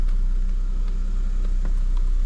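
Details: Vehicle at 21,621 miles after a mobile repair: restart check gives a smooth, steady deep idle with an even pulse and no stumble or ticking; engine starts and runs fine, normal idle.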